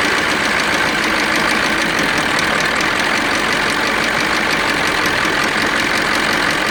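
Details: KamAZ crane truck diesel also expelling antifreeze: loud, steady clatter with hard rhythmic knock at idle; cause uncertain, suspected stuck injector, cylinder liner or compressor.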